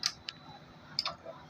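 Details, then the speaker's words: 1.5 kVA automatic voltage stabilizer with a 0.5 transformer clicks its relays sharply in uneven pairs as output voltage fluctuates; the fix is a three-relay kit with a sensing transformer. Relay chattering (stabilizer hunting). "मैंने कहा था की इस kit में आपका खतखाती की आवाज आई रहेगी इसलिए आपको सेंसिंग ट्रांसफार्मर के साथ तीन रिले वाली किट को लगानी होगी"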